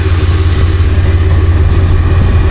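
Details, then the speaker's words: Cummins QSB 4.5L diesel running loud with a heavy low rumble and knock underneath; sounds like it's about to throw a rod, cause not confirmed. "what i hear it's a pretty bad sound sounds like it's about to throw a rod from what i hear which ain't good"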